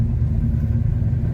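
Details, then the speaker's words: Formerly seized Chevy 327 V8 warm after a drive, which restarted hot without trouble: steady deep rumble with an even beat, idling a bit fast and holding there. "But yeah, it's kind of fast idling a little bit. That's where it seems to want to stay."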